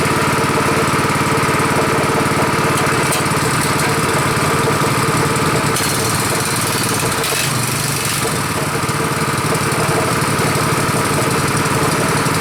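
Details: Rebuilt Honda 5.5 HP single-cylinder engine running outdoors after rebuild: steady low idle firing evenly, no knocks or misses, lower than the other engine; normal healthy idle.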